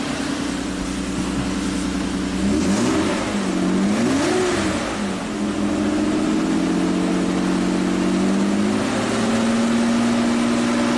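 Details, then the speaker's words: 1998 Mitsubishi Montero Sport after timing repairs and valve stem seal replacement: the engine blips up and settles smoothly several times, with clean pitch changes and no knocks or misses. Slight smoke at first start while compression returns. Normal revving. "After doing all those valves, you know, if they're not completely seated, it just took a little while to get compression back, but I think we're in good shape."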